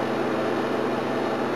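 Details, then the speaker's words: GMH 308 refrigeration unit after coil cleaning, low on gas: steady airy hiss of refrigerant whistling through the evaporator, compressor barely any superheat, no subcooling; the dirty coil had likely raised head pressure enough to cool before. "Probably the dirty coil was pushing the head pressures up high enough to actually make it cool. But now it's just free running. You just hear the gas just whistling through the evaporator."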